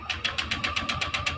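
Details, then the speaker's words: Honda Click 125i scooter that has not run for six months: the push-button starter spins the engine at about seven even pulses a second with no firing. No spark at the plug. "walang kuryente so yun yung problema ng motor ni boss mga katropa walang kuryenteng lumalabas kaya ang nangyayari Yung kanyang makina redondo lang ng redondo at hindi umaandar"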